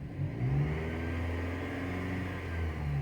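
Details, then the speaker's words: Dodge Avenger/Journey/Chrysler 200 petrol engine after fixing an alternator-area noise and vibration: a brief, even rev with a steady low hum and no whine, rattle or chatter, also clean on the oscilloscope; normal engine revving. "eso ya es el río normal del motor pero pues también como se dieron cuenta en el en el osciloscopio ya también se ve que no no"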